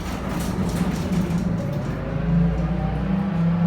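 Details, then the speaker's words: Modernised lift at Vernon Mill running; smooth even low hum, slightly higher pitched and faster than before modernisation, no knocks or scrapes; normal lift motor. "as you can hear it's a bit higher pitched and it goes a little bit faster than it originally did"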